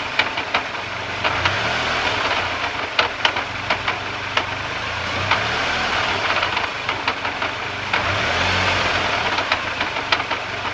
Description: This is lightly burping the throttle and letting the vehicle idle down.